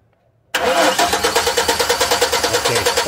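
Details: Chevrolet Silverado cranking steadily at about three compression pulses a second without firing; no spark or injector pulse though CKP sensor, coil and ignition module were replaced; only dash lights come on with key, module power next checked.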